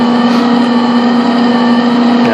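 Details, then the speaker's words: Northern Industrial MIG welder after a wire change, machine on and trigger pulled with the feed locked down: smooth, even mid-pitched motor drone with no catches or stutter as wire starts to feed; feeding properly. "Now we're going to see, we're going to pull the trigger. Yeah, see, it's starting to feed, so that's a good sign."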